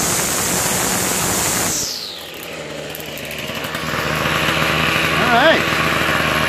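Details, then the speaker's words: Toro 51976 25cc two-stroke straight-shaft gas trimmer after gas line, recoil starter and trimmer head repair; warming up, choke partly off, at high throttle: high buzzing scream dropping off then climbing back smoothly and evenly; normal running. "It seems to run pretty well with, you know, without me touching anything. Let's try this. All right. Yeah. really well, huh? At high throttle like that?"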